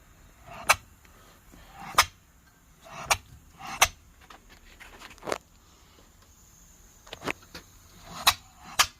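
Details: 3-inch Fowler engine running on air after an araldite repair for a suspected leak through to the exhaust: sharp, clean, evenly spaced puffs with no hiss or blow-by between them; normal even exhaust beat.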